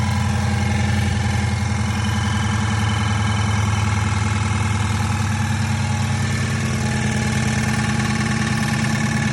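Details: 5.7 HEMI Charger V8 at idle: steady rhythm with rapid light knocking/ticking; owner unsure whether lifter failure, pulley, exhaust leak or flex plate.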